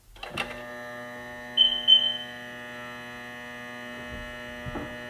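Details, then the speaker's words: Newly installed bilge pump in a 2018+ Sea-Doo RXT-X 300, run on battery power with the engine not started. A steady electric hum with a thin high whine, even after start-up, as it pumps water out of the hull. Normal pump running. "yep so we're gonna hear that's where the sound of the pump sounds like so as long as an admissions on its pumping water out"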